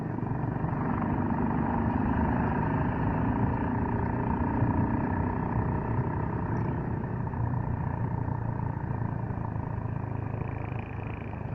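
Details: Suzuki Gixxer motorcycle rolling with a rough, gritty rattle steadily under the engine; noisy drive chain, possibly slack or dry, cause unconfirmed.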